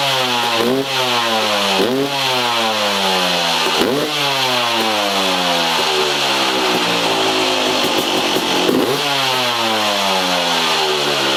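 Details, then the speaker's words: 2003 Yamaha YZ250 two-stroke, exhaust silencer repacked with $5 Home Depot fiberglass insulation, camera in the same position as the before test, fan running: crisp revs climbing and falling about every two seconds with a clean, mellow crackle; sounds much better than before. "If you guys couldn't tell, that thing sounds a lot better than it did before. I'm super excited about it."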